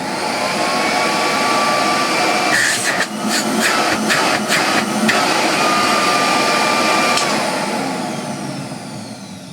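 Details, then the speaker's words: 1934 Electrolux Model 12 vacuum cleaner after refurbishment, motor previously clogged with grease, run on a 110 V transformer from 240 V: steady, even, quiet whoosh with no rattles or speed hunting; good airflow and suction, running normally. "It is whisper silence. I'm amazed the motor turned before. It was so clagged up with grease and ever so horrible it was. Now I can talk over it."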